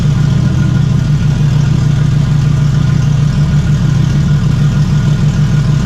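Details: Toyota 1JZ inline-six swapped into a Fox Body, stock engine, first test fire: smooth, steady low drone with an even firing beat at idle, no misses, knocks or ticking; running cleanly.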